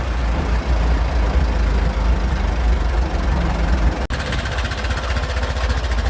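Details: Restored 1921 American LaFrance fire engine pulling down the street: a deep, even low rumble from the big four-cylinder, no knocks or misses; fine restoration, healthy normal running.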